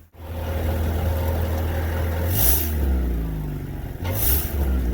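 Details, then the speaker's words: 2000 Honda Accord with barely any power and a rattle, suspected exhaust leak underneath: revs rise and fall with a muffled, choked exhaust note that never opens up; restricted exhaust from a clogged catalytic converter. "what i've noticed is it barely has any power it's been running like [ __ ] oh there's that rattling"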